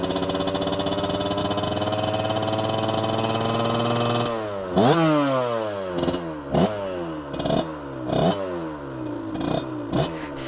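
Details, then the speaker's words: Warm 2003 Aprilia RX50 two-stroke bored to 85cc, fat pipe, stock ignition, after going two sizes down on the pilot jet: steady running with several sharp throttle blips rising and dropping cleanly; still slightly rich but pickup much smoother. "Still slightly too rich, I think, which is good."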